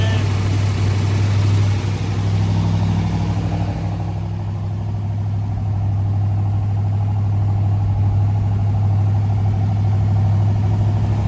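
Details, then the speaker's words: 1965 Corvette L76 327/365hp V8, fresh body-off restoration under 30 miles, fully cold after about two weeks unstarted: fast, steady high idle with an even beat and light solid-lifter tick; high idle working, healthy. "Here, that's solid lifters. High idle's working."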